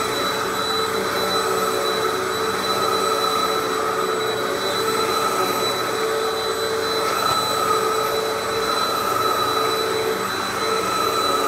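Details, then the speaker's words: Hoover WindTunnel vacuum after replacing the slipping roller-brush belt: even steady motor whine with constant airflow rush, no slipping or flapping, a big difference from before; normal running. "so now with the new belt installed it's also plugged in turn it on and try it out oh yeah that's a hell of a difference there you"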